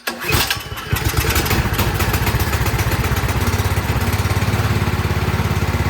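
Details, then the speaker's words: Troy-Bilt 28-inch snow blower single-cylinder engine, after carburetor cleaning: short crank, catches and settles into a steady, even putter with no hunting or stalling; clogged carburetor was the cause, now runs normally. "All right, all it was just that carburetor was clogged up a little bit. Just needed a good cleaning."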